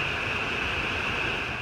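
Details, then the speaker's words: HVAC air handler after a failed X-13 ECM blower motor was replaced with a 3/4 hp PSC motor and 20 µF capacitor: constant airy rush with a faint steady hum, no scraping or wobble; the blower runs smoothly at high speed. "so we'll go ahead and plug it in here and as you can hear we've got blower operation so now this lady will have air conditioning"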